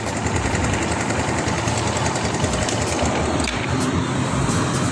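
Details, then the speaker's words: Barako 2 motorcycle single-cylinder idle: fast light metallic chatter that disappears when revved, symptom of worn cam chain tensioner, to be replaced. "Ayan gen wine sintomas po ng tunog ng ano tensioner ganyan yan pag ni-rev mo nawawala. So yan ang papalitan natin ha."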